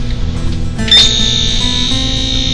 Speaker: hear that buzzing that means there's power there and i need to find which one of these wires is the feed line